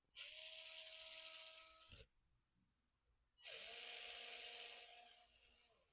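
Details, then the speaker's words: Unbranded AliExpress ESC, claimed 3S-capable, replacing a Hobbywing 1060 in a Lada RC car converted to hobby-grade, bench test: clean motor whine spins up and cuts off sharply on braking, then reverse runs slightly slower and lower pitched; forward, brake and reverse normal. "So forward and brake work slightly slower in reverse, which I would expect,"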